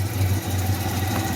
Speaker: okay we're at 142 178 I can hear the valve tick more it's I it's sounds like